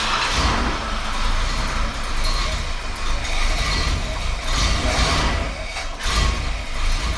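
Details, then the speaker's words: 1968 Chrysler Newport V8 with new electric fuel pump, regulator and pressure gauge, regulator turned all the way up; runs loud but uneven, surging and sagging without settling: rough running, setup won't work. "all right all right folks I can tell you right now that setup ain't going to work"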